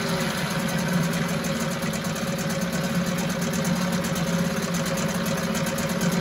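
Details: 1974 US-made Mercury 4 hp single-cylinder two-stroke outboard, revived after long storage, running after reassembly: smooth, steady buzzing run with no misses, knocks or surging, runs like a top; normal running.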